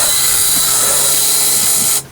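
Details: Ford F700 8.2L diesel crane truck with Pitman Polecat crane: steady harsh high-pitched buzz holds about two seconds, then cuts off cleanly at key-off. Normal ignition-on warning buzzer.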